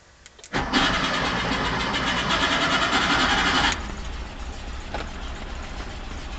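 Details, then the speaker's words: 1975 Porsche 914 with Raby-inspired 2.1L motor, first start after sitting 3 years, on old gas, cold: catches after brief crank into a loud, slightly uneven fast idle, running a little rich while cold. "take a little bit to warm up. Ooh, running a little rich. Better than running lean."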